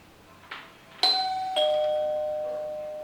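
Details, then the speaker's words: Wired electric doorbell chime with underground wiring, after adjusting the metal strike plate and refitting the cover: clean two-note ding-dong, both tones ringing clearly and fading evenly; working normally again. "เสียงดังเป็นปกติแล้วนะครับผมแสดงว่ามันทำงานได้แล้วนะครับ"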